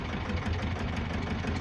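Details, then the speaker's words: Gazelle with Cummins ISF 2.8 diesel, 165,000 km, idling rough with smoke: heavy uneven thump and sharp knock each turn; cylinder test shows third cylinder is the source, likely micro hydro-lock from a leaking injector. "Третий цилиндр источник стука и дыма вот я его включу сейчас скорее всего самая вероятная причина микро гидроудары из-за льющейся строй"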